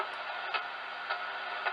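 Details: Yaesu FT-891 with ATU-100 automatic antenna tuner: crisp single relay clicks about every half second over a quiet hiss as the tuner steps through its match across bands; normal relay switching during tuning.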